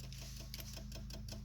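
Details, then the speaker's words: Ford dually with ongoing wiring problems: a fast, steady relay ticking of about seven clicks a second over a low hum. The driver-side under-dash footwell light is stuck in strobe mode and won't shut off, and the ticking is draining the battery; pulling the bulb stops it. "but that ticking noise is what's killing the battery. Come to the conclusion. And it is the light underneath the dash, underneath like this by your feet on the driver's side, seems to be the problem."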